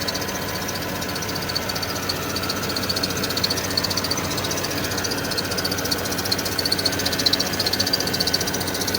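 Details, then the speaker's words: Porsche Cayenne running, harsh steady high screech from the auxiliary belt for a couple of days; owner suspects the tensioner. "It's making a horrible screeching sound and it's been doing that now a couple of days."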